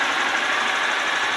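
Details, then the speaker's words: Honda Fan/Titan 160 single after adjusting rocker arm valve clearance and replacing the noisy camshaft (bearing), previously unbearable noise: steady even mechanical whir at idle, no ticking or rattle from the top end. "aí a moto zero beleza tirei a folga do balancinho regule a válvula"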